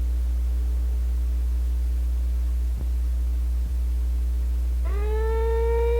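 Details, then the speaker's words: 1951 Zenith Cobramatic in phono position: steady hum, then a piercing whistle sweeps up and settles high while the oscillator tuner is turned. The pickup-head coil's oscillator has drifted from its 2.5 MHz design frequency and is being retuned. "So what we've got to do, this adjusts the frequency of the oscillator, and we've got to get it, the circuit is built to receive that 2.5 megahertz signal, and when it's drifted too far out in that direction, it makes that noise."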